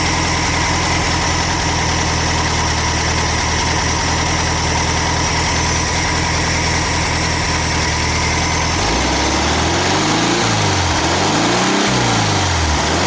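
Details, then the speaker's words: VW Super Beetle after fitting a new alternator, mini starter and 034 distributor, before timing check: steady, even idle with a regular low chug and no misses, knocks or rattles; engine idling smoothly. "honestly you could probably probably leave it running indefinitely at idle long as you don't start revving a crap at it"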